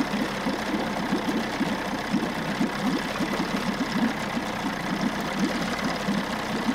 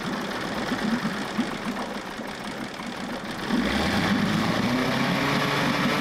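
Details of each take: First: 1994 Johnson 6 hp two-stroke outboard bought at auction, idling with the thermostat removed, running much cooler and pumping good water. Quick, even putter with steady firing, no misses or knocks. Normal running; new thermostat to be ordered. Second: 1994 Johnson 6hp outboard, bought at auction: ragged uneven popping on a straight fuel hookup with choke, then it catches and settles into a buzzy, fairly regular but weak beat; top cylinder compression reads about 60–67, mediocre.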